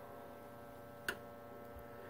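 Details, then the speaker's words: 1942 Zenith 7S682 radio-phonograph record player drive assembly on the bench. The idler wheel's rubber is cracked. Motor and speed linkage run 78/45 rpm: a quiet, steady low hum with one light click and no thumping. The idler drive turns smoothly and sounds normal. "so I've also established that there's not a lot of noise there's no there are no dimples so there's no thumping"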